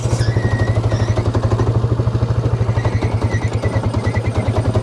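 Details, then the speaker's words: 2009 Polaris Sportsman XP ESP 550 after clutch reassembly; rough, jittery chatter over a steady single-cylinder idle as the CVT belt keeps grabbing, with the primary clutch not fully releasing. "Ooh, something's still grabbing on that belt. You can hear that? We're gonna have to get back up there and see what's going on. It's not supposed to be doing that. Could be that primary clutch is not releasing right."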